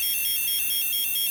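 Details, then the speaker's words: Old F set (twisted-pair tone tracer) receiver, previously low volume, after repair, with a near-9 V battery: loud, clear high warbling tone alternating about seven times a second, strong and steady; volume now much better. "let's see what we get out of the exit now that's much better that's way way better"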